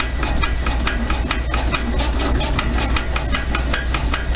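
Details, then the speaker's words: Frick portable power unit steam engine, used for threshing, running on compressed air: crisp evenly spaced exhaust chuffs about five a second over steady hiss, no knocks, smooth and governed; normal running. "this is our frick portable power unit and uh lonnie has got it running on air here"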